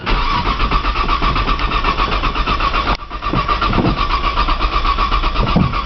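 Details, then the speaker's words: 1995 Nissan Maxima with 210,000 miles and push-button start, cold-cranked in snow: the starter churns slowly and evenly for a long time without catching. Slightly feathering the gas pedal reportedly helps; floored, it won't crank. Long crank, no start. "it's 95 maximum this thing takes forever to crank"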